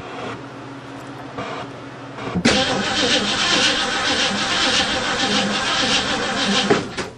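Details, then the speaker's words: 1935 Mercedes stored seven years, points-and-condenser ignition, with good fuel pressure. The starter spins the engine steadily for about four seconds without firing. The owner suspects no spark, possibly from dirty points. Cranking, no start. "I bet she's got no spark should've fired"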